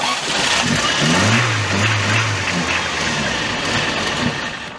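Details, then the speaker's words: Toyota 4Runner left to rot 10 years, start after new plug wires, very little gas in tank: cranks, catches, runs rough a few seconds then dies; resembles running out of fuel, cause unconfirmed. "So, it is very similar to it running out of fuel. It doesn't have very much gas in it."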